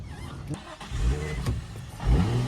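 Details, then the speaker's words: Drift car after heavy rain, restarted after stalling: rough uneven note catches and revs rise back to about 4,000 rpm; engine recovering. "RPMs are back. Oh, RPMs are back. Oh, back to 4K. Hey, that's progress."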